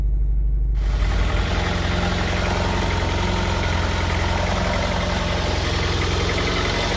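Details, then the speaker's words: Honda Prelude idling rough with a misfire: a loping brap with irregular pops about three per second, and the car shakes more than usual. The owner suspects the spark plugs (unconfirmed) and plans new plugs, wires and maybe a distributor cap and rotor. "shaking more than i used to i think it's it's firing or something if the way the uh the fumes come out of the exhaust it's like popping it's sort of like a brapping kind of engine right"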